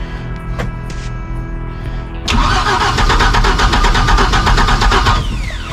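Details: Mercruiser 4.3 in a 1996 Wellcraft Eclipse, sat 18 years, previously seized, fed from a bowl of gas: steady rhythmic cranking about three beats a second, sputtering as if trying to catch but never running.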